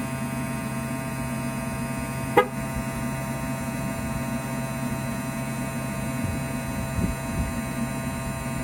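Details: Tesla Model 3 on a hot day, AC running: steady electrical buzz, low hum and thin higher whine, one sharp click; buzzing stops when AC stops, no leaves found in vent; air conditioning buzzing hum, cause unknown.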